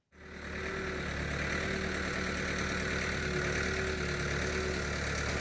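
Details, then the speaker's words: Diesel backhoe after starter solenoid and wiring repairs and bleeding air from the fuel pump: catches instantly and settles into a steady, even clattering idle rumble with no misses or surging; runs healthy, normal idle. "Man, that sound, the rumble of the diesel, it is pure music to my ears. And this machine was purring like a kitten, and I was finally cutting into the hillside and moving dirt."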